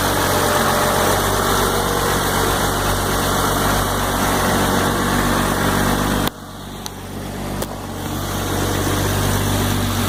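Diesel idling with a fairly regular light tick, about four per second, riding over the clatter; a tick worth chasing, cause not yet pinned down.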